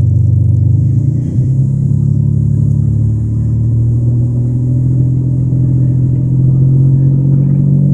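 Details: Toyota Camry revved from idle to 5000 RPM and back, with a raspy, puffing edge on the exhaust note; it is exaggerated by the phone mic. The engine is otherwise smooth and powerful. Exhaust leak.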